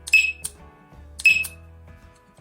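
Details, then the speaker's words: Cheap battery-powered remote-control alarm siren for a dacha, after fitting a CR2032 battery in the remote: two loud, shrill chirping bursts about a second apart on arming test; siren works properly. "gibt es ein sehr großes Summen, leidenschaftlich, im Allgemeinen ist das Geräusch sehr laut, wenn wir uns aus der Ferne bewaffnen, wir haben es offensichtlich gehört"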